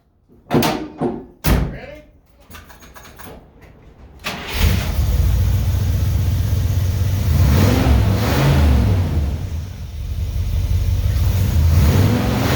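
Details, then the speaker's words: 1965 Buick Wildcat, numbers-matching 401 V8 with a cam, straight piped to the back, carburetor just replaced; cold start catches after a few cranks, loud lumpy idle with throttle blips, running strong, normal cold start and rev. "now this ain't no regular uh 65 buick wildcats the numbers matching 401 uh it's got a cam uh straight piped all the way to the back uh this thing's nice man"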